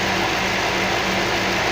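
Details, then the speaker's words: Toyota 3UZ-FE V8 at warm idle after gas (LPG) running burned valves, three valves replaced and both heads fully rebuilt: smooth, even idle, no misses or ticking, radiator fan air rushing; normal idle. "Тут ветер просто от вентиляторов. Вот так должна V8 работать."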